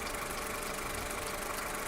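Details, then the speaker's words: Skoda Octavia Tour 1.4 16-valve, 630,000 km, fully warmed engine idling after half a day's use, no error codes, runs evenly; faint light knock running through the idle, cause not yet found. "Ошибки не горят, двигатель работает ровно, но появился настораживающий звук."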